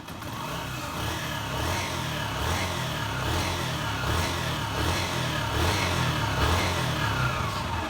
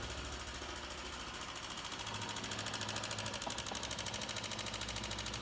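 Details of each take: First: 2008 Honda CG 125 single-cylinder engine running and revving smoothly, no knocking or ticking, after worn pushrod and valve tips were found for a strange engine noise; oil was checked rising to the head. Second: 2008 Honda CG 125 idling: sharp, even top-end ticking about three a second; mechanic checks for oil rising and suspects wear in rocker arms, pushrods or camshaft, and finds the top end very wet with oil.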